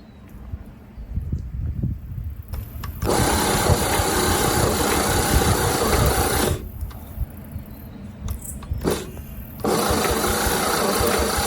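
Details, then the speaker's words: 1950 Chevy 3100 six-cylinder barn find, sprayed with starting fluid: long bursts of slow, labored cranking with a faint catch, nearly firing but not starting. The starter is possibly overheated. "She pert near just about fired."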